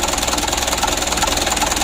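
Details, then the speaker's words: Mitsubishi Canter 136 PS HDL diesel after injection pump plunger work, not yet fully adjusted: idles with a lumpy, uneven pulse and hard clatter; one pump element opening/delivering far too much fuel keeps it from settling smooth. "masih ada yang mengganjal begitu ya ya mengganjarnya disini kita melihat bukaan punyai ini terlalu banyak sekali"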